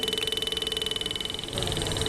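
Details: Bajaj Pulsar motorcycle with ignition switched on, engine not running: rapid, fast-pulsing reedy buzz with nobody pressing the button; horn buzzing on its own, not an engine noise.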